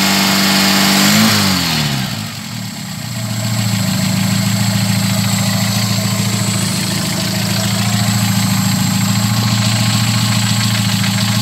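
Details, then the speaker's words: VW G1 carburetted AP engine, first start after about 12 hours sitting: brief crank, then it catches into an even, steady idle; fuel pressure much better than before. "Bueno ahora fuy a dar una vuelta una vuelta que calentó el motor pero igual bastante mejor Está la presión de combustible Comparado como estaba cuando V"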